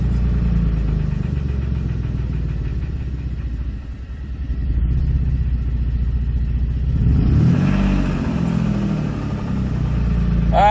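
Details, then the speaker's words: 2007 Dodge Nitro with low oil pressure, under 4 psi at idle (15–70 psi depending on rpm): rough low idle with a loose, uneven rattle that quickens as revs rise; owner suspects a spun bearing, not confirmed. "we got less than four PSI coming in there and then it drops the little island she's probably gonna shut down I can't tell you what what all that rattling is sounds like she spun a bearing"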